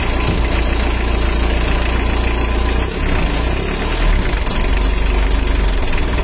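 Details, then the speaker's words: Mitsubishi L300 diesel, first start after engine rebuild with a larger 14B rotor head fitted: steady low chug with a sharp puffing tick on each firing pulse. Exhaust leak, fixed afterward. "ada yang bocor di kenalpotnya nanti kita perbaiki"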